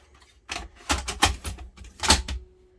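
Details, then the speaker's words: 1982 Panasonic NV-366 VHS deck, tape inserted: a handful of short mechanical clunks over two seconds, then only a faint hum; the deck cycles but never loads, which the owner still puts down to worn belts. "i still think this is belts still think this is belts"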